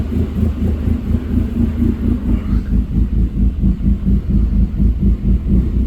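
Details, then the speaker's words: 2008 Dodge Caliber SRT4, abused project car, just started, possibly running out of gas: surging uneven low rumble pulsing about twice a second. It won't hold a steady idle and won't run correctly; cause unclear. "It does not want to run [Music] correctly."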